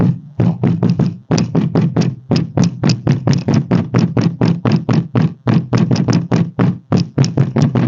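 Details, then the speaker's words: 2016 Renault Fluence trunk lid, microphone near the lid while it is struck: hollow knocks three to four a second, each with a loose buzzy rattle, the lid vibrating on its frame as it does over potholes; fixed by wedging car-wash sponges in the openings. "vocês estão vendo aí vocês viram aí como que faz um barulho e sei quando passa em algum buraco alguma coisa assim sempre dá esse barulho"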